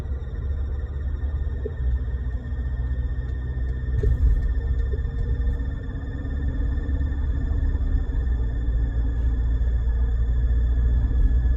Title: 2020 Ford Ranger 10R80 transmission whining noise.